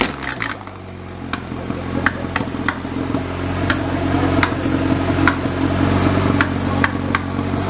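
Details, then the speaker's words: Freshly built turbo Honda H22 on first start, no coolant in, O2 sensor not fitted: rough idle with sharp irregular pops about three a second over the drone; owner suspects it's running a little rich without the O2 sensor. "so it runs it doesn't leak it pops because I don't have my Oh to censor on it and it doesn't know what to do with itself so it's probably running a little bit rich"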